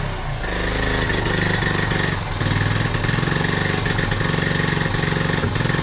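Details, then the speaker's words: 1976 Honda Z50J1 single, just restarted and warming up, with a recently fitted new carb possibly untuned: it putters unevenly at idle with dips and stumbles, still running badly. "Damn it! Still running bad."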